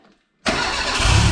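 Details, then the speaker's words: Renault 5 GT Turbo, first start after a head gasket job and ignition angle corrected from 80 to 50 degrees: it cranks, catches and settles into a lumpy, uneven run with oil pressure present. Rough running. "oh mate like a [ __ ] kitten well a pretty rough kitten but still it's"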